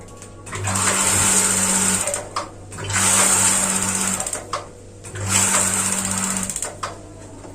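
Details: Gas water heater after swapping in a new LPG cylinder: repeated two-second bursts of buzzy igniter sparking with no burner whoosh. No gas flows because the regulator's flow-limiting ball has locked shut, which is later freed by tilting or tapping the hose.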